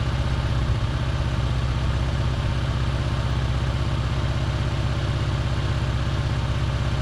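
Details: Holden Barina ML engine after plug change and tightening carburettor bolts, runs rough especially after sitting: uneven lumpy idle pulse about 2.5 beats per second, a backfire; owner suspects gases feeding back through reed valve/EGR, unconfirmed.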